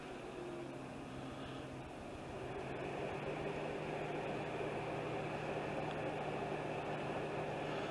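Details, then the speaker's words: 2003 Acura TL V6 with a flashing check-engine light and several P030X codes (P0303), idling after codes were cleared: uneven, lumpy beat that feels like a single-cylinder misfire; the first cylinder to set a code will be checked first. "yeah you can feel it feels like it's only one cylinder my guess is whatever cylinder comes back first is a misfire"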